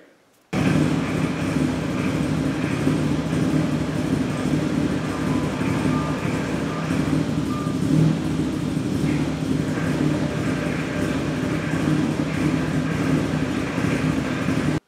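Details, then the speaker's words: NB Miata with an ITB naturally aspirated engine, idling; a constant rough growl from the gearbox, a terrible input shaft bearing noise heard on and off for four years, now leaking oil; owner suspects a wobbling input shaft. "one this transmission is making a terrible input shaft bearing noise which I'll try to demonstrate that right here"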